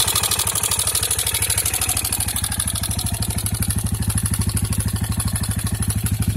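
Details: 2003 KTM Duke II with HighFlow, idling steadily with a loud, regular metallic clatter on every beat; abnormal mechanical engine noise, and the owner suspects engine damage.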